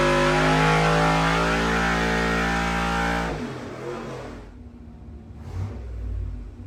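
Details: Carbureted V8 baseline full-load dyno pull on the same tune as a month earlier: a strong, even roar, then a clean lift-off and wind-down with no misses, within 2 hp of before. Consistent and healthy.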